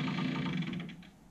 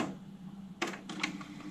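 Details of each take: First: AIWA AD-WX929 1980s double cassette deck, deteriorated rubber drive belts: quick, even slapping clicks that slow and fade as the motor spins down, wheels turning with bits of old belt on them; needs new belts. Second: 1980s AIWA AD-WX929 cassette deck with new belts, Data 1 bias calibration recording test tones, rewinding and playing back: soft steady motor hum with crisp mechanical clicks as the transport shifts modes; normal calibration cycle.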